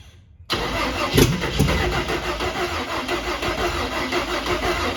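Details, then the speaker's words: Carbureted cab-over van conversion engine fed from a half-gallon fuel can, battery getting weak. The starter turns it over steadily but it never fires; no fuel is being pumped, and the owner suspects a clogged filter. "come on pick up some gas baby like that battery's getting a little weak"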